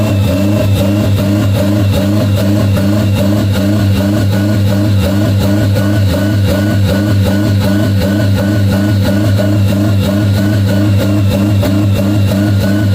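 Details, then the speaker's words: 1992 Toyota MR2 with a high idle caused by the throttle plate not fully closing: a steady raised idle that never drops. Pushing the throttle fully closed by hand brings the idle back to normal. "so as you guys heard um when I push the throttle completely closed the idle went perfectly fine"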